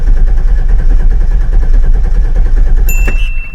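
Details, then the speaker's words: 2004 Chevy Silverado 6.0L with a bad misfire, clear-flood-mode crank with the gas pedal floored: the starter cranks with an even, regular beat and no light strokes. Compression is even across the cylinders, ruling out major engine issues. "So just doing that quick test, test number one, rules out any major engine issues, any low compression on certain cylinders."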